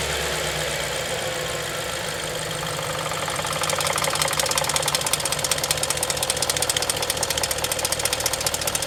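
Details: Audi A8 D4 at idle: after a few seconds a rapid, even metallic rattle ticking at engine speed sets in, cam phasers knocking.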